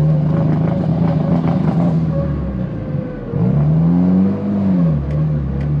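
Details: Tial BOV just installed on a car started cold that morning: engine note sags and wanders on throttle, dipping then surging back, bogging at idle; owner thinks it feels like fuel cut but smells very rich, cause unconfirmed.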